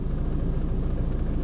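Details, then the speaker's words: Salvage Mercedes A200d Premium diesel, 83,000 km, engine fault, no drive; deep, uneven low rumble throbbing at idle, no sharp knocks, bonnet wobbling; owner suspects a worn dual mass flywheel, not confirmed. "you can see the Bonnet wobbling well sounds like drawer mass is knackered to me proper"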